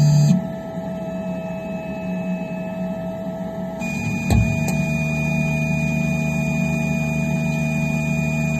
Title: Phrozen Sonic Mini 4k - Loud popping sound